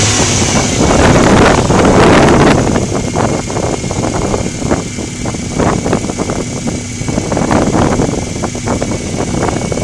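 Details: Subaru engine revved and held at 2000–3000 rpm, with a light, quick ticking riding on top that keeps pace with the revs; source not pinned down.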